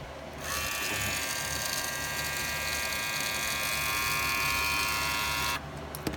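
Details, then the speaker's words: Wahl hair clipper with red premium attachment guards: steady buzz with a harsh chattering edge from the guard rattling due to a loose retaining clip. "my clients have been telling me that they've been rattling and all this stuff on them so I'm going to show you guys how to fix that and I'm going to show you guys how they rattle"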